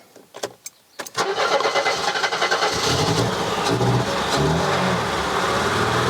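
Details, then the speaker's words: Mercedes-Benz W123 230E restarting after standing for months or years: a few sharp clicks and a short crank, then it catches into a slightly uneven idle; a hard start, and the owner suspects the fuel accumulator needs replacing. "well it definitely runs again okay so i'm going to call our win i've got to say i am genuinely mystified as to why this wasn't working before"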